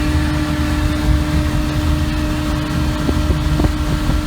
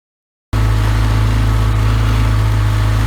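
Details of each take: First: 33 HP Evinrude Ski Twin outboard after carburetor adjustment, high-speed needle 3/4 turn and low-speed 1.5 turns out: steady, even high-revving buzz at constant pitch over wind and water; pulling cleanly at full throttle. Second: 33 HP Evinrude Ski Twin electric-start outboard before carburetor adjustment: low, droning full-throttle note pulsing unevenly about four times a second, boggy and short on revs; misadjusted high-speed needle, later set 3/4 turn out from snug.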